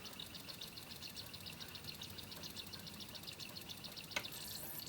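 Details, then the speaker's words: Pioneer PD-4100 CD player stored perhaps ten years, during playback test: quick faint ticking clicks over a quiet hiss as the laser sled steps back and forth, hunting for the track and skipping; laser sled seeking. "I hear the laser moving. It is moving."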